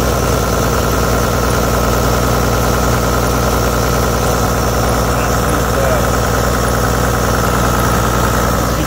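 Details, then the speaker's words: 20-year-old Toyota Land Cruiser 100, 1HD-FTE 4.2 L turbo diesel, cold, held at raised revs: shaky uneven clatter with occasional misfire and heavy smoke that clears then returns; suspected failing injection pump drawing air when cold. "well that looks like it's now smoothed out again just the occasional misfire the smoke is clearing"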